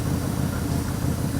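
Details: Ford 289 V8 with a rebuilt Autolite 2100 carburetor: deep, steady rumble at idle with even pulses and no misses or rattles; vacuum gauge reads 21 inches, a healthy idle.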